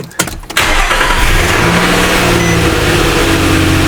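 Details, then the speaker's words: 2013 Nissan Frontier with P2127 code, after a key/immobilizer procedure (VIN still wrong): short crank, catches cleanly and settles into a steady, even idle with no misses or knocks; starts and runs fine. "So in this case, it will start, but the VIN number is going to be wrong."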